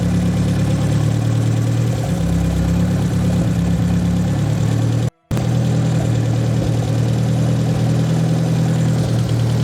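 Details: "!200" engine idling: low, uneven beat that sags around two seconds in. Fuel pressure about 38 psi, alternator 14 V, owner doubts a sensor fault and says it tries to die when parts are touched. Stumbling misfire, cause unknown.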